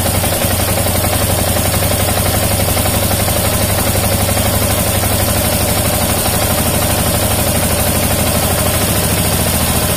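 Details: Yamaha Jupiter MX King fuel-injected motorcycle, idle speed screw adjusted; even, steady single-cylinder putter at settled idle, no misses or knocks, light hiss. Normal idle, correctly set.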